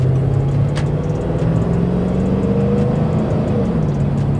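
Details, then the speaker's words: Toyota Sequoia V8 on test drive after addressing a coil pack with a previous owner's wiretap on it: smooth even engine note, no stumble; misfire fixed, no check engine light, coolant steady at 195 degrees. "kind of hard to tell to be honest I think I fixed it it feels much smoother oh yeah she's on all right now for sure"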